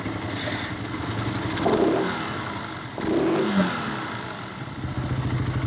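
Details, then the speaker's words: Raider 150 Fi motorcycle: engine blipped, and as revs fall a rough clattering rattle lingers after each rev; balancer was recently replaced, pointing to a crushed crankshaft bearing. "Ang tagal mawawala yung ano tagal mawala yung tunog yan oh May mga pahabol"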